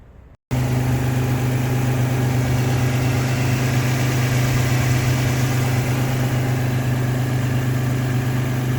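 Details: Toyota 4Runner 5VZ-FE V6 after fitting a new alternator (old one bad, engine was dying out): fires straight up and holds a steady, even low drone with no misses or knocks throughout.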